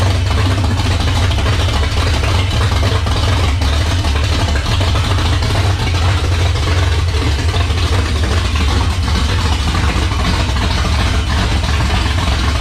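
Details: 1978 Dodge Warlock truck, 360 small-block stroker idling on its first start: loud, even, deep rumble holding steady without misses or knocks. Healthy, 75 psi oil pressure at idle from a high-volume oil pump.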